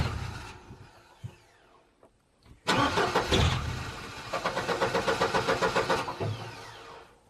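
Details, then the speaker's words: Upright AB62RT boom lift sitting over a year, after fitting a replacement fuel pump not sure hooked up right: starter cranks in steady pulses about four per second, never fires; owner suspects the pump is no good, still a fuel issue. "still a fuel issue and I'm wondering if that pump is just no good"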